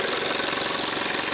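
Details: Range Rover Evoque 2.0L petrol turbo, stolen and recovered with damaged wiring, no-start fixed by replacing a fuse: a steady, even idle with a smooth, unbroken hum and no knocks or misses. Normal idle.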